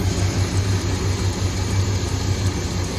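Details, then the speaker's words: 2001 Dodge Ram 1500 V8 at idle after a cold air intake upgrade replaced the big plastic airbox; deep even lope with soft airy intake hiss, audibly sucking air; normal healthy idle with intake induction noise. "it sucking air through here versus the previous one. It had that big plastic box right on top of it and a big plastic thing coming on over."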